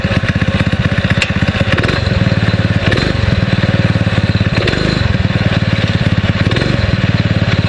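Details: 6.5 hp Predator clone single-cylinder on a springer bike, new 90 main jet with original emulsion tube: steady, even thump at fast idle, no misses. Runs much smoother but lost top-end zip at wide open; owner suspects idle jet needs enlarging.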